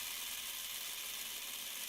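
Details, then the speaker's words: Cheap plastic three-arm fidget spinner with its stock bearing, held up to the microphone: a thin, steady gritty whirr with a dry rasp and no smooth hum; the bearing is noticeably noisier than a normal one. "so let's listen to the stock bearing of it like quite a bit noisier than the normal bearing put it up to the microphone quite a nice looking design this one there quite a noisy bearing"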